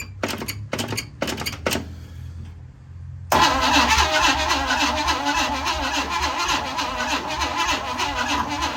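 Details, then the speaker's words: 1956 Chevy Bel Air with a 265 V8 that was freed from being locked up, also leaking at the carb: the starter drags in short uneven bursts, then cranks laboriously and never catches. Slow cranking, no start; a grounding issue is suspected. "I'm guessing that's why it's not spinning over fast enough, because that's spinning over pretty slow."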